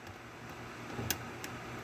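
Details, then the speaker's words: Class 15 bobbin in a removable bobbin case: sharp pop as the case snaps properly into the sewing machine, then fainter ticks; no pop means it isn't seated. "You got to hear that right pop. If it's not popped in,"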